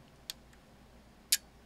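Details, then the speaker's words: Elecraft K2 ham transceiver kit at first power-up mid-build, RF board not yet populated: two crisp single clicks, one per band change, held up to the mic, cycling back to 40 m; band relays switching normally. "so there was a click every time so you want to make sure the relays are actually changing the band plus changing the frequency at the same time"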